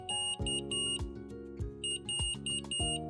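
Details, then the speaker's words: Omnipod insulin pump (pod or PDM) alert: intermittent bursts of short high beeps calling for attention, e.g. pod expiry, low reservoir or auto-off; unanswered alerts can escalate to a hazard alarm. "Les alertes incluent la péremption du pod, un réservoir bas et l'arrêt automatique. Les alertes se matérialisent par des bips intermittents."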